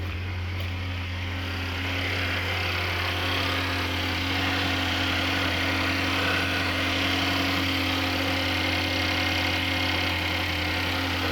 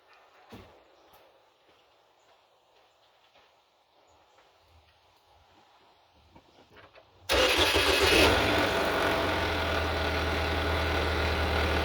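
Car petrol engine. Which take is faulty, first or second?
second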